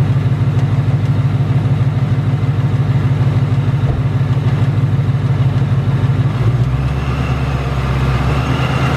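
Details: 2018 Ford Mustang GT Coyote V8 idling: fast metallic tick, about three per second, over deep idle with faint rattle. Tick returned within the last two weeks, louder than ever; owner unsure of cause, says not direct injection.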